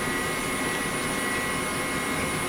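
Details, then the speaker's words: 1998 Pentium Pro gaming PC with Voodoo 2 and SCSI drive, fully loaded: loud steady airy whir with constant whistle, mainly from the Nidec Beta V front case fan, which moves little air for its noise. "that my friends is what an enthusiast system from the 90s sounded like it was fully loaded so this thing's pretty loud and i'm not quite sure how to feel about it"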